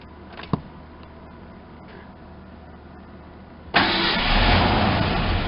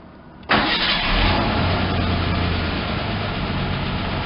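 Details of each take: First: Ford Ranger pickup sitting about 8 years, new fuel pump and 5 gallons of gas: slow, even cranking, then a short burst of firing that dies. No fuel pressure, later traced to a fuel pump connector not plugged in. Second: Ford Ranger pickup started for the first time in about 8 years, after a fuel pump was fitted and a loose connector fixed: fires promptly, fairly steady low note, slightly hesitant at first. Owner suspects a plugged fuel filter or old gas.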